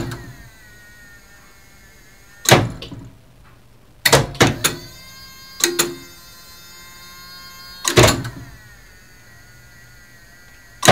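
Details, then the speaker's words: Elevator mock-up driven by original relay control of a two-speed licensed lift, relay chain position memory intact: sharp relay clacks in short bursts every second or two over a faint hum as the contactors switch at each floor stop; normal relay clatter. "So let's listen to the relays clatter."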